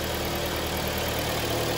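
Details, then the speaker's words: Hyundai ix35 G4KD engine, 124,000 km, after repair of scored cylinders and reassembly, first start: even steady idle hum, no knocks, ticks or rattles; engine runs smoothly, normal idle, no errors. "так мотор работает ровно здесь посторонних шумов"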